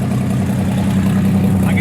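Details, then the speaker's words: Race car turbo engine after backfiring and running rough on acceleration: loud, raw low rumble at idle from an exhaust leak where the wastegate broke off; fuel also boiling. "hear it the waste gate broke off the exhaust over two great"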